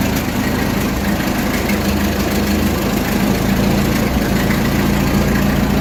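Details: Ford 8N tractor, 6-volt system, cold start after about 4–6 months unused, following carburetor rebuild and new plugs and wires; starts almost instantly and settles into an even, smooth idle.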